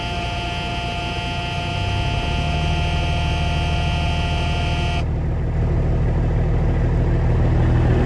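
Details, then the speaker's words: CAT C15 truck engine, dead cold, after injector wiring harness work for idle shake and cylinder 3 not responding on cutout test: deep, even diesel note revving smoothly, no shake, under the low-air buzzer; normal running. "she run smooth even up there look there's no shake nothing I mean the engine's dead cold right now"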